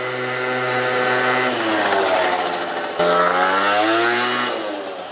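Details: Peugeot Speedfight 50cc two-stroke moped after starter relay, exhaust, carb and variator fixes, with the air screw about 1.5 turns out: crisp revs rise and fall cleanly with no misfire while riding; runs healthy.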